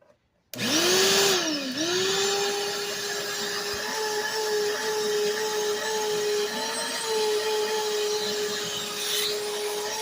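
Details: 5-gallon Shop-Vac running with hose attached: steady high motor whine that sags and recovers at start, then holds with slight waver; motor sounds off and smells off, cause unknown.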